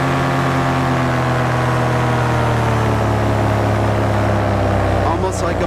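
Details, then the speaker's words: BlackHawk Titan 210 paramotor two-stroke in flight after break-in, about 8,200 rpm max; loud even buzz with steady drone, smooth as power drops to idle and rolls back on without misses or stumbles; normal idle and throttle response. "The greatest thing is this motor is really, really smooth. Not sure if you can hear that, but I can drop down to an idle and just roll the power on."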